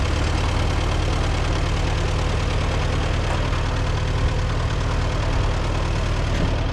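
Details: Co-op E3 tractor (about 1947) after years of sitting, later start, chains off: steady low chugging even idle with no knocks or misses; runs smoothly, though fuel leaks.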